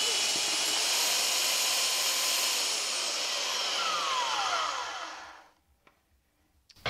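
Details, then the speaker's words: Flea-market Holtshair hand belt sander while adjusting belt tracking: high steady motor whine drops in pitch and winds down to silence within seconds as the belt catches and breaks, stopping the sander; owner unsure if his fault. "right something happen to there the bill somehow got caught and stopped everything ah the belt broke maybe that's my fault"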